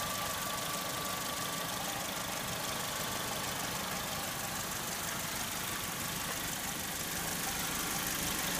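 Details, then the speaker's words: Saturn S-series, possibly 2002, code P0440 still set after cleaning the metal hose into the exhaust manifold: at idle a muffled cowbell-like clank repeats about three times a second, with occasional gurgling; owner suspects the catalytic converter. "sounds like a clank, clank, clank, clank, something clanging. If you can hear that or not, I hope so. The only thing I can figure is it sounds like a catalytic converter."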